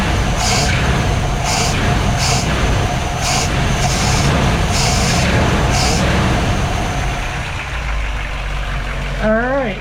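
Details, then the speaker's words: 1959 Chevy Bel Air 348 V8, Rochester 4-Jet, after fitting the rubber pump from a Rochester 2GC kit into the accelerator pump. Strong rumble with crisp, clean throttle blips and no hesitation; normal revving after the repair. "i'd say that's all good maybe we'll let it uh we'll take it out for a run see how it rides down the road"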